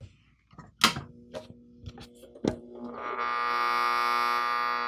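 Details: Industrial RF modulator in a homelab rack, video and audio output perfect: a few handling clunks, then a loud steady buzz starts at switch-on and holds unchanged; suspected transformer issue, inside shows corrosion and burn marks near an LED.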